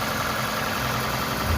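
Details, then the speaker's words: Toyota Camry Hybrid 2AZ engine idling after head gasket and cylinder head repair, no catalytic converter; smooth, even low steady hum with no knocks or ticks, calm compared to how it came; normal idle. "Even though this car doesn't have a catalyst, it's still fairly calm compared to"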